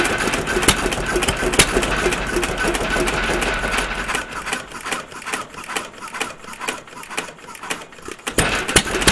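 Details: Stover CT1 1.5 HP hit-and-miss engine, running after earlier trouble getting it started: sharp firing pops about three a second with lighter clicking coast strokes as the governor skips charges; normal hit-and-miss running.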